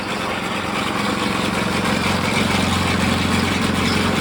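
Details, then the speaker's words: Small engine on a vintage gold trommel wash plant, water pump now driven through a larger pulley so it spins way slower: even steady drone, no surging; water reaches the chute, flow more consistent, less pulsy. "So now it's spinning way slower. Now I got water in the chute. And it's more consistent. It's not so pulsy."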